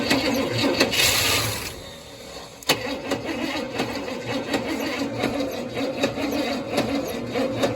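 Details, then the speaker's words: 1966 Cadillac Deville yard find, first start attempt with new plugs and wires, possibly low fuel, starter keeps kicking out; a new fuel pump is needed for constant fuel delivery. Catches briefly, dies, then uneven chugging that never settles; cranks and catches but won't keep running. "We messed with it pretty much for the rest of the afternoon, and really that's all we could get out of it. Part of the problem is our starter keeps kicking out."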